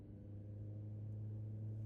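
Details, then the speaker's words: Chevy Volt with depleted battery, range extender engine running while driving without hard acceleration: loud, steady high-revving drone with strong low hum barely changing as car creeps; range extender at high rpm. "Now, listen to it. Start screaming. And I'm not accelerating hard."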